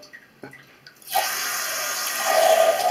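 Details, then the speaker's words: Quiet toilet, then after about 20–30 seconds a sudden steady hiss of the cistern refilling; this intermittent refill pattern indicates a leaking flush valve seal. "Quand c'est la chasse d'eau, c'est intermittence. En intermittence. Hein, ça fait comme ça."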